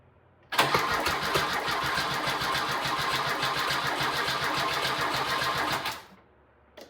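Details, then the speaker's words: 1997 Lada Niva 1.7L fuel-injected four-cylinder, parked over 10 years, before fuel pump replacement: cranked with fuel poured into the throttle body, it catches and runs raggedly about five seconds then dies; fuel delivery fault. "The first time there's a bit of a click, and then after that you'll hear that the engine does actually spin over. My friend that sold me the Niva came over to give me a hand here and try and get this thing cranked over. This is before I actually purchased and replaced the fuel pump."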